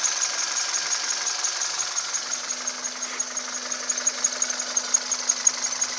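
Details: 2010 Kia Cerato engine running; thin, steady high-pitched whine over the engine with faint ticking beneath, source not identified: high-pitched engine whine.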